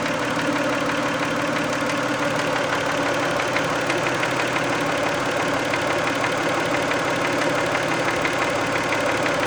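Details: Warm 1990 Toyota Camry 2VZ-FE V6 idling after a 15-minute drive, sharp regular light knock about twice a second; only when warm, later cleared itself; owner guesses varnish on a shim/bucket, unconfirmed.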